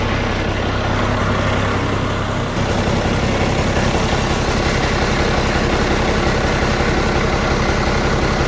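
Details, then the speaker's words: Komatsu D85E bulldozer diesel after repairing the injection pump drive coupler and retiming the pump, following new injectors: deep steady idle with an even beat, no smoke, no knock or misfire; runs smoothly. "no smoke out of the exhaust there's our drive shaft turning down there yes I would say I got it Tim right Run's beautiful"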